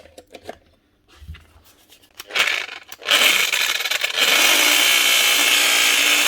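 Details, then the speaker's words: Power tool grinder on the bench: harsh grinding rattle over a high motor whine, unclear at first whether from the motor or the gears. With the head removed, the gears were found stripped, likely worn by grinding load. "they're that bad I don't know if it's that sound is from the motor or from the gears kind of sounds if could be a better of both"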